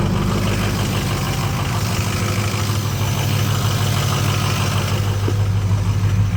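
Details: Ford 6.0 L diesel truck cold start after sitting overnight, about 45–60°F, no check engine light, injector #4 bad though it passes buzz test, additive didn't help: heavy idle with uneven loping pulse about three per second, one cylinder dropping out; misfire from faulty injector.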